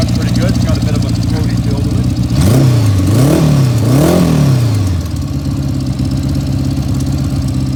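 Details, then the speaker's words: 1979 Honda Goldwing flat-four barn find, restored over a winter; even idle then three clean throttle blips settling back, mechanically noisy but healthy, not the quietest originally; normal idle. "like i said it's uh not the quietest thing originally but"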